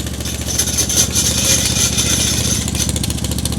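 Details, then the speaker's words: Wessex AF Flail Mower G2, small petrol engine idling after revs lowered and drive slowly disengaged: loose metallic clatter as free-swinging flails rattle while the rotor coasts down to a stop; perfectly normal. "as the fls are slowing down you'll hear them rattle which is perfectly"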